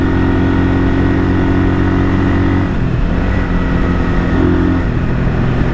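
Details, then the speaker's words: 1978 Kawasaki KL250 single-cylinder on a break-in ride right after a top-end rebuild with new rings; timing, points and valves left unadjusted; thump pulls cleanly, pitch rising and falling smoothly with throttle, no knocks or misses. Healthy. "Seems like it's running top notch. I didn't even adjust the timing or check the points or even check the valve adjustment."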